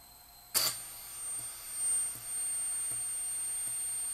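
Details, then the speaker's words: Peachtree Audio Grand Integrated X1 stereo amplifier with bulged filter caps, on speakers at power-on: click then thin steady very high-pitched squeal over faint hiss on the right channel, left sounds okay; digital processing controller suspected failed. "but i have a very high frequency squeal on the right channel the left channel actually sounds okay"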